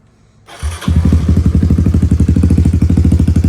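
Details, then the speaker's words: Kawasaki KLX110L just after a new cam chain install with timing set: fires at once and settles into a firm, regular thump of about three beats a second with no rattle; runs normally, though the carb still needs jetting. "Oh yeah, running good. Oh, that sounds right now. I mean, that sounds clean."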